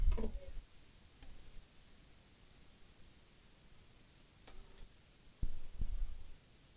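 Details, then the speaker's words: Quiet room with a few sharp clicks near the end as the relay pulls in; the board tries to power up but there is no picture on screen, fault not yet found. Relay clicking. "I can hear the relay clicking, but it's always under the voltage there."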